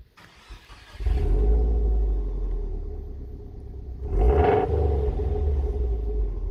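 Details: 2011 Subaru Impreza WRX with replacement Japanese engine swapped in for an EJ25 that had head gasket and ring land issues: deep, even boxer rumble with a clean rev and smooth settle, no knocks, ticks or misses, healthy.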